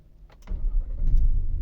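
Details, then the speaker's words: 2017 Nissan Patrol petrol with C1116-00 stop lamp switch fault, started by activating relay via scan tool without pressing brake to confirm brake-switch fault; short crank, clean catch, settles toward steady idle. "गाड़ी start हो गई है यह अभी मैंने computer से इसको ले को ऑन करवा के गाड़ी स्टार्ट की है"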